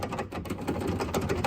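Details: Chevy SSR door that rattles with heavy bass from speakers: quick, uneven metallic clicking and tapping as the loose door latch rod is jiggled; door latch rod rattle.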